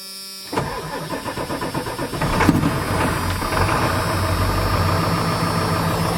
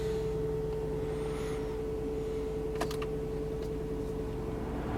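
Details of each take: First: Diesel farm vehicle started on one battery with throttle held to the floor because of air intrusion, glow plugs apparently burnt out: slow labouring crank, stumbles into life with lumpy, uneven idle; hard start, cause suspected not confirmed. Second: I figured that. The engine's pretty healthy in here.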